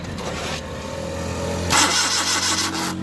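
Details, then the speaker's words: Suzuki Mehran VX/VXR Euro 2 petrol, fuel pipe disconnected for test: starter cranks steadily about three turns a second but never catches; no petrol arrives with ignition on and cranking, indicating fuel pump failure, crank no start. "ये देखिए नहीं, इसमें पेट्रोल नहीं आ रहा, बस ये देखिए इसमें पेट्रोल नहीं आया स्लो मारने से और स्विच ऑन करने से। इसका मतलब है इसके फ्यूल पंप में प्रॉब्लम है।"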